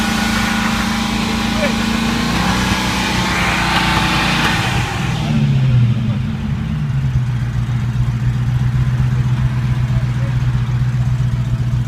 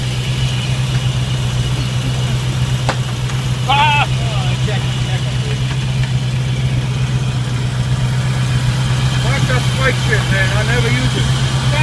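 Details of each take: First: 1995 Land Rover Defender 90 first starting after a no-start, on ether, inertia switch then plugged back in: engine flares to a high fast idle, hangs, then settles to steady idle; stuck throttle cable made revs climb. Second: 1995 Land Rover Defender 90 just started after no-start, on ether with inertia switch plugged back in and Mallory surge filter removed: steady even low idle hum, no knocks or stumbles; running fine.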